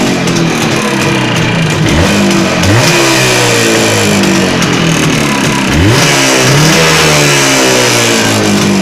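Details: Jawa 638 two-stroke under rebuild with a tired cylinder-piston group, blipped up and down: loose knock under the exhaust note plus chain rattle; crankshaft bearing knock and chain rattle.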